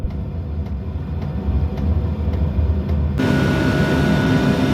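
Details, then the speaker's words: Birch RV 5 kW diesel heater on a power station shortly after startup: glow plug now off, fan still at full speed, drawing about 42 W. Steady fan rush with faint regular ticking; normal heater fan operation. "So, the glow [music] plug has gone out now, but the fan is still at full speed, but we're already at about 42 watts."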